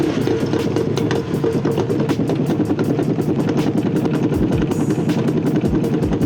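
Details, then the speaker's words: Ford Mustang with a broken driveshaft, driven home in limp mode: heavy rumble with rapid, uneven clunking about three times a second from underneath. Owner suspects the carrier bearing or U-joint; driveshaft clunk and rumble. "yeah, that sounded like crap, and I was pretty scared at this point because I didn't really know what was happening."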